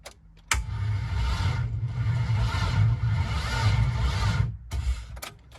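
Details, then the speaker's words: Chevy V6 swapped into a Subaru WRX, cranked via starter wire: sluggish, labored cranking at about four turns a second for four seconds without catching; car's battery lacks cranking amps for this engine; slow cranking. "The battery in this car can't keep up with the engine, so the cranking amps are too low, but you can kind of get an idea right now."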